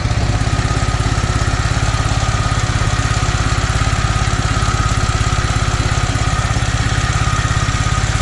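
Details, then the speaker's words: Toro 2CV twin running again after starter rework, with a suspected non-working primary choke in the carburettor: even, steady tick-over with a regular low pulse, no knocks or misses; idling smoothly. "Doesn't that tick over and sound nice?"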